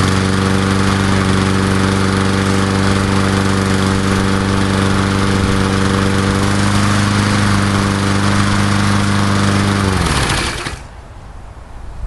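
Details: Old Murray Dynamark 22 mower, 3.75hp Briggs & Stratton, restarted after cleanup following seven years stored: firm, even beat at steady speed about ten seconds, then clean shutoff; normal running.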